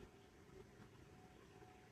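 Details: Inergy Kodiak solar generator load-banked by an electric stove with 300 W of solar connected: its inverter cooling fan gives a quiet, steady hum with a faint constant tone, no rattle or surging, running normally.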